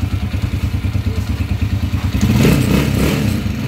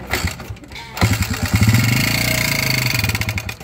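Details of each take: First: Motorcycle (TMX 155) running after overhaul replacing connecting rod, two bearings and timing gear: even low thump at idle, brief rev, settles back without knocking; normal idle. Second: Honda TMX 155 motorcycle engine running with a hard, rapid metallic knock before an overhaul; a rod bearing is failing from oil starvation.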